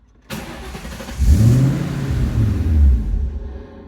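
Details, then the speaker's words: 2000 Mustang with a Cobra engine and Cobra electronics and an intermittent electrical no-start; the engine fires, idles roughly for about two seconds, then dies; the owner suspects the anti-theft system. "it'll run and then die right off, which I guess is the anti-theft."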